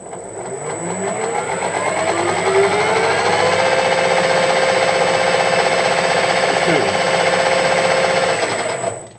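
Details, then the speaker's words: Harrison M300 lathe headstock gearbox after new bushings fitted, spindle at 1200 rpm: rising whir to a steady gear whine with a faint rhythmic beat; noise much reduced, other shaft's bearings suspected, not confirmed. "I can just hear the other gears now. And although it has got the little rhythmic thing going, I think uh we're really really I think we're really on the right track here."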